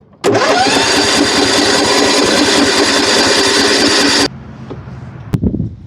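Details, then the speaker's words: Kohler Courage engine on a Husqvarna riding mower, no-start: starter spins the engine steadily for about four seconds and it never catches. "so here's what we got a no start colar courage turns over just fine"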